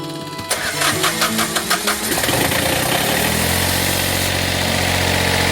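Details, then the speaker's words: Boat generator start after installing and lubricating the raw-water pump impeller: about seven even starter cranking pulses, then it catches and runs smoothly; water flows out, so the impeller works; normal start and idle. "All right, so here we go to start it up to see if it's working."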